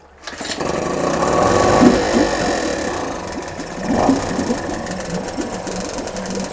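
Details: Two-stroke Yamaha 5 outboard, motor No. 2 of three, checked after No. 1 worked well; cooling water clean. Buzzes evenly after catching, with a brief rev and steady rattle-free beat; works fine.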